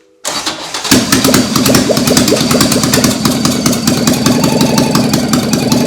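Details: Toyota AE86 with a 4AGE 20V black top swap on a Haltech ECU, restarted soon after its first start. Catches, then a lumpy idle with an occasional uneven beat through loud intake trumpets. A slight miss; the plugs were wet and oil pressure was a little low.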